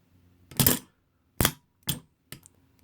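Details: 1947 DeSoto starter solenoid bench-tested by energising its coils: sharp, solid metallic clacks at irregular intervals as the stronger pull-in coil snaps the plunger in firmly; the thinner holding coil alone is weaker; solenoid pulling in normally.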